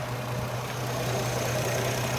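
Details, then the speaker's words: Chevrolet Trailblazer/Envoy after a 4.2 engine swap. Smooth, even idle with a steady low drone and no knocks, misses or ticks; it runs really well with no check engine lights. Normal idle. "Anyway, it runs really well. It has no check engine lights."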